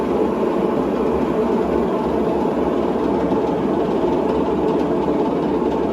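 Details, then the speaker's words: In-ground irrigation spring startup: constant rushing hiss of water filling the main line, steady with no hammering or sputter, running quite a while before stopping; normal fill. "water's really running hopefully it stops soon all right stopped so it runs quite a bit"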